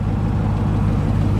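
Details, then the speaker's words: 2020 Dodge Charger 392 Scat Pack Widebody V8 at warm idle: deep, even rumble with no tick. The cold-start lifter-on-cam tick has faded away as the engine warmed. Normal warm idle. "as you can hear it gets lower as it warms up and now it's gone so that's how the engine should sound 100 of the time right how it is right now"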